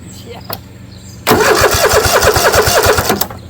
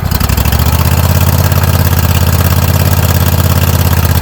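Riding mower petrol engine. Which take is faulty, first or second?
first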